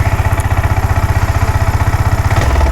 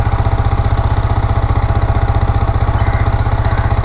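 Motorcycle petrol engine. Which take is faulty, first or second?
first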